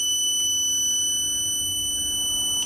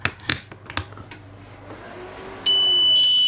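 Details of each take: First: Growatt SPF 3000TL LVM 24 V inverter powering on with the battery charged to 27.5 V, after the buzzer was muted and error code 81 fixed by setting option 23 to single phase: a single steady high beep of about 2.5 seconds, the normal startup tone. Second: Growatt SPF 3000TL LVM 24 V all-in-one inverter in a van build, first connection to AC shore power: a single unbroken high-pitched beep of about three seconds, the default buzzer, which is silenced by holding down arrow and enter for about three seconds.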